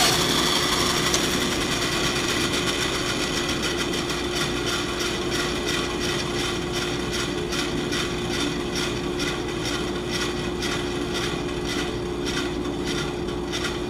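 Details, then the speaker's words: Bandsaw with new 3/8" blade, bent at the brazed joint and not fully straightened: steady hum with a soft tick about three times a second, once per blade pass, as the bent weld bumps through. "I like this new blade, but when it came in the mail, it was a little bent right where they braze it together, and I tried to straighten it, but it's not perfectly straight, so you can hear it come through every time."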